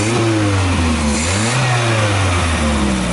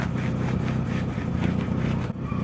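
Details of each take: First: Carbureted car engine after carburetor refit and rough timing-light adjustment: clean idle picks up smoothly on a light throttle blip and settles back evenly, no misses or stumbles; healthy engine rev. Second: Car idling with a loud, rough, deep puffing and strange noise from an exhaust holed at the hood area.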